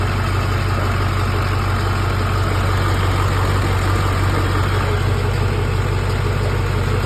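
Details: LB7 Duramax diesel with hard starting: heavy idle with a deep pulse near three per second that wavers in strength, a lumpy rough idle; cause unclear.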